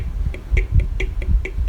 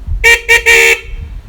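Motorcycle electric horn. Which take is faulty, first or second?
first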